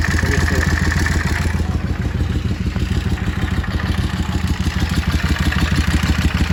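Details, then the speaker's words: Yamaha Drag Star XVS650 V-twin at idle: a loose mechanical clatter rattles along with an uneven idle; clearly abnormal, and owner is seeking help with the diagnosis because the cause is unidentified. "Vou tentar gravar o barulho dessa Dagstar 680 para ver se eu consigo alguém para me ajudar com o diagnóstico."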